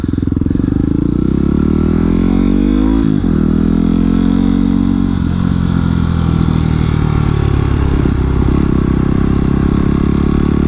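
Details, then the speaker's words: Yamaha WR250X supermoto, rushed downshift with clutch pulled and gas eased off, no rev-matching: revs drop, then a rough stuttering chatter and squeak/screech as the rear wheel hops. "what's that chatter noise? scared me there what's going on?"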